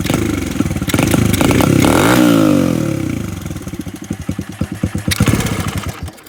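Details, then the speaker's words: Carbureted engine with choke deleted and choke screw removed, leaving an open hole for more air: starts with a ragged crackle and revs hard, then firing pulses slow and fade as it dies when gunned to full throttle. "yeah if you if you gun to completely it dies"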